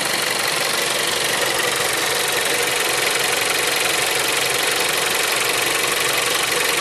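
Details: Seat Leon 3 (5F) TSI 140 petrol at idle: fast, fairly even ticking rattle about four per second over a hissy idle; cause not identified.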